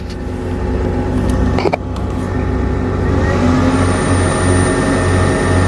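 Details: Camper van inverter with Instant Pot drawing about 300 W: steady fast cooling fan whir with constant hum climbing slightly as load comes on; normal inverter fan noise under load, fan speeds up with load.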